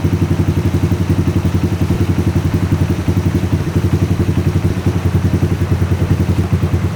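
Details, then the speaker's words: Honda XR80 rebuilt after running out of oil, idling while the cam chain tensioner is adjusted. Even, fast, low pulse, quiet at the set point with no chain rattle; a loud rattle appears at other adjuster positions. "So you can hear right there, it's pretty quiet. And I'm going to turn it all the way around. Yeah, right there is really loud."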